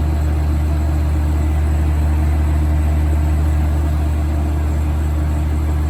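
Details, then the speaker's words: 1980s Super dehumidifier with R-12 refrigerant, final test after fan motor replacement, grille and bucket fitted: steady even low hum with strong smooth air rush, no knocks or rattles; healthy running. "so here is the final test for this video here it goes [Music] oh yeah that's moving a lot of air [Music] [Music]"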